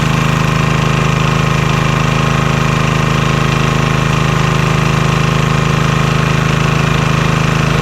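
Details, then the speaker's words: Vintage Homelite generator, probably late 1970s, unused about 30 years, restarted with little work: steady single-cylinder putter at constant speed, quiet, no knocks or misses; normal running. "Oh, that sounds good. It's nice and quiet too."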